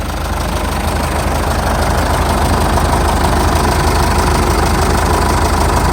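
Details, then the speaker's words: 2006 Jeep Liberty 2.8 CRD turbocharged, intercooled diesel 4x4, all stock with catalytic converter and muffler, no warning lights: steady, even diesel clatter at idle with no misses, knocks or surges. Normal diesel idle. "it's turbocharged and intercooled go around back here and let you hear the exhaust like I said it's all stock you still got your catalytic converter and muffler on it"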